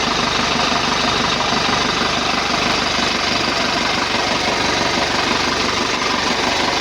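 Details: 2011 Isuzu Panther LS diesel at idle after engine rebuild for oil leak and rough noise (pistons found scored): even, steady clatter, no knock, noticeably quieter than before; normal idle.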